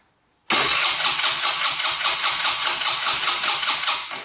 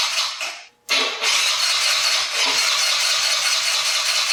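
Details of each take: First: 2020 Yamaha Grizzly 90 ATV that only runs on choke, cranked with choke off and throttle half open: starter churns evenly for about four seconds without catching. Crank no-start, with the battery sounding weak; a carburetor fuel blockage is suspected. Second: 2020 Yamaha Grizzly 90cc kids' ATV that only ran on choke, after carburetor fix, 80°F: engine catches, runs in strong bursts revving up and back cleanly between pauses; starting and running fine.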